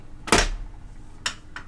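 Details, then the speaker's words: Kriesler radiogram record changer under restoration, 45 rpm record loaded, auto selected: sharp clack then two lighter clicks as the record drops and the arm lands in the right place; normal auto-load cycle. "and we'll see if that lands in the right place, and it does."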